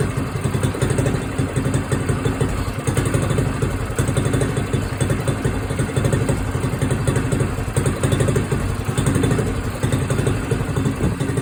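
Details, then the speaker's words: Small red moped idling on its stand just after a cold start, choke off, governor holding idle while warming up: steady, even single putters with a soft light exhaust note; normal idle. "Turned her choke off there. You can hear the governor maintaining the idle."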